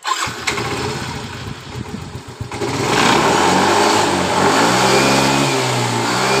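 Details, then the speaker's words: Yamaha Mio M3 scooter that sputtered under throttle, after replacing the rotor (coil, TPS and throttle body swapped earlier): cranks briefly, catches cleanly, revs up and settles smoothly; normal start and rev. "Jadi motor ini langsung normal ketika kita mengganti ulang di bagian dari rotaknya."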